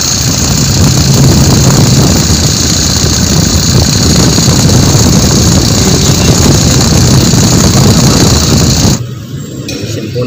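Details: Idling engine with a steady high whine and fast rattle from a worn belt tensioner and idler bearing near the alternator; noise grew louder after an earlier repair.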